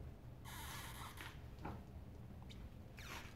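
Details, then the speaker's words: 2010 Hyundai Sonata rear end: two sharp rubbery squeaks as the rear knuckle is rocked by hand, from a torn, worn rear knuckle (pillow ball) bushing on the lower control arm; the noise traveled through the arm, misleading the stethoscope. "like torn and it's squeaking so even though I heard it with my stethoscope way down on the other side it's funny how noise travels"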